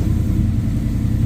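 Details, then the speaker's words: SN95 Mustang GT with Gen 3 Coyote V8 swap, control pack and new harness, just started cold: steady deep even rumble, no ticking or knocking, fast idle about 1200-1300 rpm; normal. "So pumps kicked on like normal, did the little 2-3 second to build up pressure, and then we can just crank it so it turns off like stock, starts no issues pretty quickly,"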